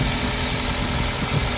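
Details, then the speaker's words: 2005 Toyota Corolla with code P1310 that started then stalled, after replacing faulty No. 3 ignition coil with a Camry coil: even, steady low four-cylinder idle, no misses; normal idle. "अभी हमने कमरी का लगा दिया है और गाड़ी को स्टार्ट किया है अ जबरदस्त स्टार्ट हो रहा है"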